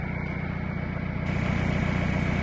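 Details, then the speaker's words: MK4 Jetta ALH TDI diesel after the A/C compressor was deleted and replaced with a Dorman 34214 blank pulley; steady, even diesel rumble with a clear turbo whistle on top, settled and smooth. Normal running. "Now we're back to turbo noises as normal. Sounds of a TDI."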